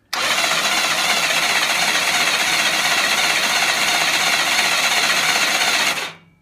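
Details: BSA Fury SS (E35SS) final starter motor test on the new, more powerful battery, cam box cover off, ignition on: steady high-pitched whir for about six seconds, even and unlaboured, then a clean stop. Starter turns the engine normally.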